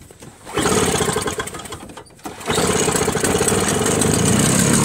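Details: Toro two-stroke single-stage snowblower cold-starting at 10°F in the garage, 5°F outside, after its carburetor was run dry via a fuel shutoff valve, with choke and primer; it catches within a couple of pulls and runs crisp and steady.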